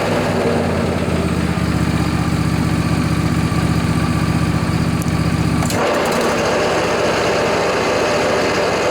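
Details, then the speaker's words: John Deere LA145 riding mower with a 48-inch deck, cold morning around 35 degrees. Much louder when the blades are engaged: the drone turns rough and gritty, pointing to worn deck spindle bearings, before repair. "the customer says it's been making a lot more noise when he turns on the blades so I suspect we have a deck problem"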